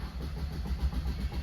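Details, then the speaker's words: Maruti Brezza automatic (AGS) diesel that died while driving: starter cranks strongly at an even beat with a good battery but never fires; scan later shows TCM auto gear shift code P1908, gearbox/engine failure. "നല്ലപോലെ crank ആവുന്നുണ്ട് start ആവുന്നില്ല battery എല്ലാം നല്ല condition ആണ് കേട്ടോ"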